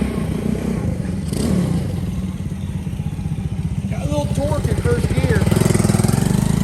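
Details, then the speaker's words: Custom Honda S65 with a Lifan 140cc four-stroke engine swap, ridden in a parking lot after years parked: single thumps along at low revs, rising and falling slightly, firing evenly without misses; owner feels it pulls like a 125. Normal running. "in my mind it doesn't have any more giddy up than what a uh a 125 has so it runs nice seems to ride nice"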